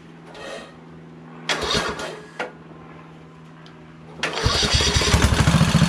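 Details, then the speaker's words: Craftsman LT2000 hydrostatic lawn tractor repowered with a Kohler Courage engine. Short whirring starter bursts cut out without turning the engine, then it finally catches and runs. The starter seems to be slipping; penetrating oil was sprayed on its shaft. Cause not confirmed. "the starter seems a little hinky and i don't want to spend 30 40 bucks for a new starter"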